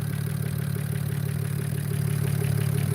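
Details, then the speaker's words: BMW E92 335i after a valve cover gasket replacement with new spark plugs and coil packs: smooth, even idle with a steady low hum and no stumble, shaking or misfires; the engine runs healthy. "sounds good it's not uh it's not uh uh shaking or anything like that we don't got any misfires we don't got any leaks so far everything looks good"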